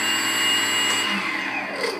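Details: FMS aircraft brushless motor after resetting the ESC from factory safety mode: steady, high, smooth whine that eases off at the end; normal operation.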